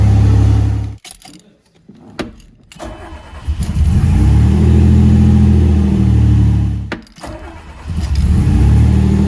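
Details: 1981 DeLorean DMC-12 right after a new modern in-tank fuel pump install: engine cranks and fires, revs up and settles, dips briefly, then picks back up to a steady run; normal start and run.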